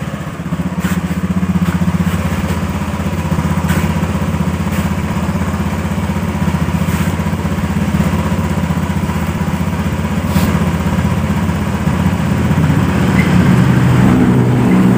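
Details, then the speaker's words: Honda Beat FI motorcycle after stalling-engine repair, reassembled; pressure raised from 20 to 40 PSI, now normal. Steady single-cylinder putter holding an even idle with a low thump, no stumbling or dying; engine runs normally. "Baiklah, motor ini sudah menyala ya. Motor ini sudah menyala. Ya, bisa teman-teman ini dengarkan dari suara mesinnya."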